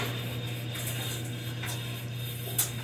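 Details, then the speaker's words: Direct-drive washer drum coasting down after its spin gives a steady, even low motor hum with no grinding or knocking; normal direct-drive motor wind-down. "it's winding down [Music] give me a listen"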